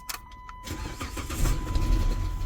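Starter whirs, then the engine catches briefly and rumbles on sprayed fluid; it only fires that way, so no fuel is arriving.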